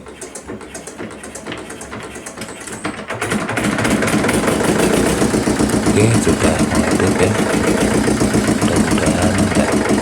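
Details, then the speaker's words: Yulin 2105 diesel rice-mill engine after valve leak repair: catches after a brief crank, settles into a steady even idle thump, runs at high and low throttle, and the valve leak noise is gone. "Mesin sudah mau hidup, gas besar mau, gas kecil sudah mau dan oke kita matikan."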